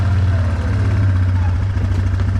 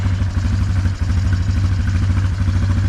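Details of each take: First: 2009 Yamaha Wolverine 350 ATV idling after an idle adjustment: a steady, even low rumble with no hunting or misses. The CVT engages smoothly with no jumping when shifted into drive or reverse. Normal idle. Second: 2009 Yamaha Wolverine 350 ATV: fast steady single-cylinder idle with an even beat, then it fades out; idling high on choke and dies with the choke off.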